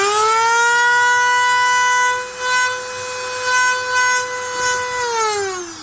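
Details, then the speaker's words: Dremel rotary tool running with steady whine and harsh raspy buzz, then winding down; motor field has worn into the plastic housing and vibrates loose, quiets when housing squeezed; fix is shimming the field. "as you can see the field in this it's just started to wear a little bit into the plastic allowing it to move around so that's why when i squeeze it just a little bit it would actually get quiet"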